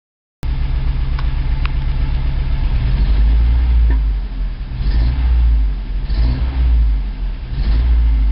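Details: 1987 Toyota 4Runner, high mileage, reman engine, cold first-morning start, clutch in: deep lumpy idle with uneven stumbling beat, still shaky under throttle blips; misfire from plugs fouled by burning coolant via cheap head gasket and cracked aftermarket head.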